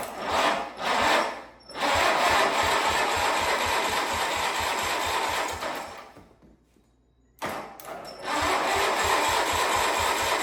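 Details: Wheel Horse 520H tractor, Kohler single-cylinder, revived after sitting, on fresh gas from can with jump pack: steady even firing, briefly dips quiet then picks back up; running on its own.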